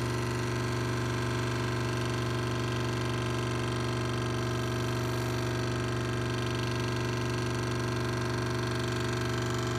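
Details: Delta DLT-180 3D printer z-axis stepper jogging under Repetier-Host with only one motor connected and driver Vref at 0.684 V: buzzing hum with a fast regular ticking, about four a second. The owner suspects wiring or driver voltage.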